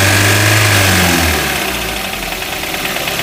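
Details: 2021 Maruti Brezza petrol, 50,000 km, engine noise noticed for a long time: revs, then settles into a lumpy idle with a steady knock about twice a second; mechanic suspects a bent connecting rod, before engine overhaul.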